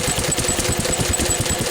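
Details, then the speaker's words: Lister stationary single-cylinder engine, cold and not warmed up, with the governor spring on the carburetor adjuster tightened to the run position: a slow, even thumping beat with regular firing and no stumbles or hunting. It is running very well. "By tightening the spring on it, it makes it run rhythmically. Right, tell you. And it's now running very well, as you can hear."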